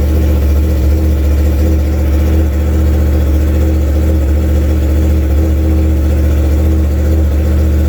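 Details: 2016 Yamaha R1 at steady idle during misfire diagnosis with multimeter back-probed into injector 4; slightly lumpy, stumbling beat under exhaust note, consistent with a cylinder intermittently dropping out.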